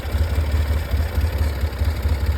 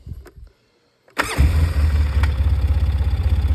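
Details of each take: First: Polaris 700 quad, idle set around 950–1000 rpm: low lumpy idle pulsing up and down, won't settle smooth; rough idle, better than before, cause unconfirmed. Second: Free Polaris 700 quad loosely reassembled after being taken apart: fires after a couple of clicks and settles into an even, steady low thump with no misses. Normal idle.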